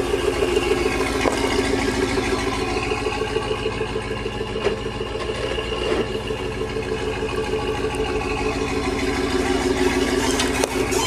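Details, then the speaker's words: 2003 Chevrolet Avalanche reversing: rhythmic alternating squeak about three times a second, silent going forward; owner suspects dry driveshaft universal joint. "when I put the vehicle in reverse, it squeaks, and it's an alternating squeak, so I'm pretty sure that it's the universal joint in the drive shaft."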